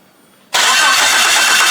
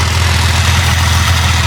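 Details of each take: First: Wrecked two-wheel-drive Jeep Cherokee, engine labeled bad: even cranking for about 3.5 seconds with no catch. There is fuel pressure but the injectors aren't firing. The owner suspects the crank sensor, cam sensor or computer. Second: Wrecked Jeep Cherokee engine, once labeled bad, now running after the computer grounds were sorted: smooth, constant cold idle with no rattles, taps or misfires. Some smoke from spilled oil; oil pressure is good; it hasn't warmed up yet.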